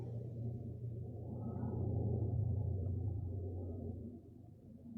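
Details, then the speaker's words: 1500cc air-cooled Volkswagen engine after a valve adjustment: low, muffled rumble at idle that swells and sags unevenly; rough only at low rpm, sounds good at high rpm. Owner suspects idle valve, vacuum leaks, burnt valve, plugs or wires. "Sounds good at high RPM though. Sounds really good at high RPM. It's low RPM where it sounds like ass."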